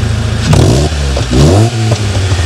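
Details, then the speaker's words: Alfa 145 with newly made exhaust: manifold resealed and tightened with changed bolt, original front section to cat, Fiat Bravo section after; quick revs give a deep, even, dignified burble instead of the earlier rasp, no blowing; exhaust healthy. "actually bizarrely more of a dignified kind of a burble rather than the rasp it was before if i if i up the camera and give you a couple of quick revs of this"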